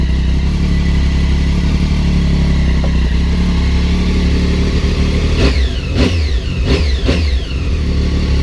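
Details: 2006 Triumph Daytona 675 after battery replacement, running fine for hundreds of miles: smooth, even idle rumble, then clean throttle blips rising and falling quickly without stumbling; normal idle and revving.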